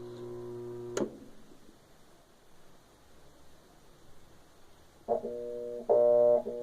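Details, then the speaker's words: Electrolux LT12 washing machine with water-level hose blown to force agitation: loud steady hum in bursts, no agitator strokes; motor hums without agitating, a bad motor or capacitor suspected. "só pode ser um motor ruim e pode ser o capacitor que está ruim então ela pode fazer isso pessoal"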